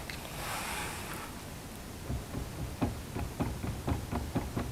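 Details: Lada Niva 4x4 driveshaft: dull clunks about twice a second as the shaft is worked back and forth; the universal joint cross has play, causing knocks when pulling away or shifting.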